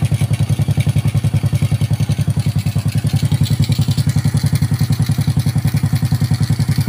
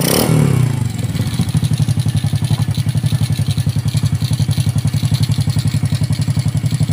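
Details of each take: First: Honda Karisma 125 after its piston-slapping 150 bore-up was returned to a standard bore, first start after reassembly: even, steady thumping idle at about three and a half beats a second, no slap or knock; normal idle. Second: Honda Karisma 125 single-cylinder, just rebuilt with the bore returned to standard after a failed 150 oversize, first start: even idle thump with a light regular top-end clatter. Valve tappet tick, clearance still slightly loose, to be tightened.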